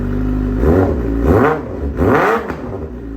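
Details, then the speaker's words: 2009 Suzuki GSX-R600 after spark plug and air filter replacement to cure a rough idle: three crisp blips rise and fall cleanly from a settled idle with no stumble or misfire; sounds much better. "put the seat back on and we are all done oh yeah sounds a lot better"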